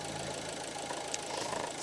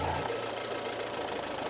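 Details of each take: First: Alfa Romeo Giulietta 1.4 T-Jet, cold engine on fast idle during a PCV valve test; steady raised idle with an even whirr and light valve tick, no misses; oil filler cap very slightly sucked in; normal. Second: Alfa Romeo Giulietta 1.4 T-Jet idling with oil filler cap opened and closed; cap held down by strong vacuum, idle speed changes audibly, steady hum with faint ticking; suspected faulty PCV valve/oil separator module, car consuming oil.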